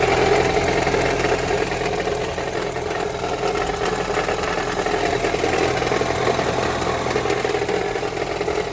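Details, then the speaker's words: 2015 Ford Escape 1.6 EcoBoost, 124,000 miles, idling with a loose, uneven metallic rattle underneath that persists when revved; cause found to be a broken flex plate. "well here's the culprit the fly flex plate is broken and we're gonna pull the bolts off and see how bad it looks but that is definitely making a noise"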